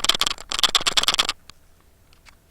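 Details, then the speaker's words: Surfola SF530 action cam used in a side-by-side, shaken by hand: sharp, rapid plastic clicking in bursts from loose buttons rattling in their housing; clear tape over the buttons stops the noise. "okay so one of the problems i have is when i'm running the action cam in my side by side i'm getting this horrible clipping or vibration sound and i figured out what it is it's these buttons these buttons"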